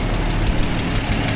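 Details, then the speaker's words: Toyota FJ60 warmed up after oil pan gasket and oil pump job: smooth idle with a light, quick regular tick; owner suspects a valve slightly out of adjustment, unconfirmed; gauge oil pressure barely changed after repeated sender replacements. "You hear that tick? I think I got one of those valves not quite in adjustment."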